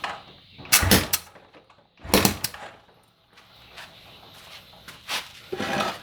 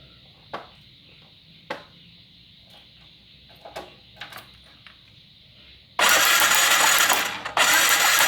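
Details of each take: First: Motorcycle with spark plug removed, finger over the plug hole while kicking or starting: sharp, strong puffs from the plug hole with each stroke, indicating good compression. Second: Motorcycle no-start check: handling clicks, then two loud bursts of electric starter cranking without firing; coil cable sparks but spark plug gives none, so plug is dead and must be replaced.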